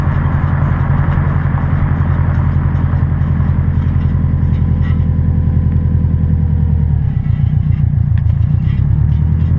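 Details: 2006 Subaru WRX TR driving: heavy, low rumbling drone with a faint tone dropping as speed eases, a grinding from the front passenger wheel caused by a bad wheel bearing; replacing the assembly fixed it.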